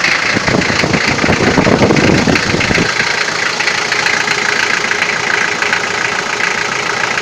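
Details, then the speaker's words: Toyota 4B diesel after injection pump repair (plunger pair and nozzle replaced), cold start with glow plugs: loud fairly quick rattling knock that eases as warm-up idle drops, worse in frost; cause suspected, unconfirmed. "так сейчас заведу машину штук будет сильный пока свечи накаливания маленько не подаст минут потом чуть послабее а когда обороты упадут прогревочные штук будет немного слышала"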